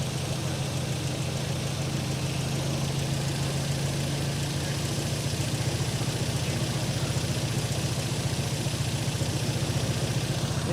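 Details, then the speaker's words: Nissan 200SX on a Speeduino Ocelot standalone ECU, first startup attempt after sitting a very long time: rough idle with a light, steady tick about four per second. The owner suspects an unhappy lifter and also wondered about pinging; the cause is not confirmed. "it's just a lifter. Lifter unhappy. It hasn't run in forever."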